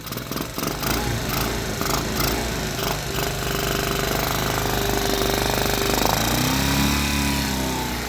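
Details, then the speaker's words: Small mini-ATV engine, valves recently adjusted, just started: rapid, uneven chatter from the lower part of the motor that continues as revs rise. Owner suspects rod knock; not confirmed. "i think this motor has some rod knock but you know what whatever started right there it's got a nice little chatter in there and it's coming from a lower part of the motor"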